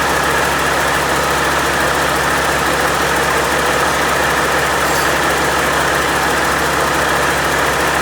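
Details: Freshly overhauled Caterpillar C-15 diesel, first start: smooth, even idle with steady clatter and no knocks, misses or vibration; good oil pressure, sounds healthy.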